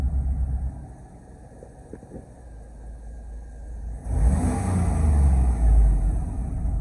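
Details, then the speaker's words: 2003 Chevy Tahoe 5.3 after replacing the throttle/pedal position sensor and clearing codes: quiet idle, then the engine picks up cleanly and holds a strong, even rev; it now has power and revs to 3-4k rpm, versus 2k before. "So as you can see now, the RPMs, they're going up. With the old one, the RPMs goes to number 2, but right now it's going like 3, 4."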